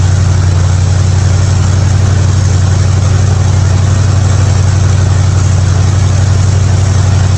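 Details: '55 Chevy hotrod V8 after a spark plug change for fouled plugs and popping: deep, steady idle with even beat, no popping or stumbling.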